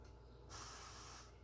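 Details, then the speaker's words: Restored Coleman 508 camp stove, tank pumped up after a rebuild (check valve hoped good): short, clean hiss of air escaping for under a second. The tank is holding some pressure. "I don't know if the camera can hear that. So it is holding pressure, at least a little bit."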